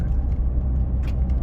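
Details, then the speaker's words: 2013 Ford F150 on a test drive after a driveshaft replacement for long-standing driveline vibration, heading to 60 mph: a steady, low road rumble with no beat or shudder. Normal, smooth driveline. "Still going. Sounds good. Looks good."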